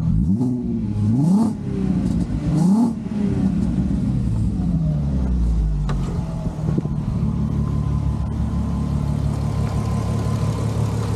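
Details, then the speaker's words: VR6, after full timing chain and guides replacement (old chain was completely knackered, causing cam correlation fault), plus clutch and dual mass: a couple of sharp blips, then smooth steady idle with no rattle or tick; runs sweet. "I've done the timing chain on it. Runs absolutely sweet."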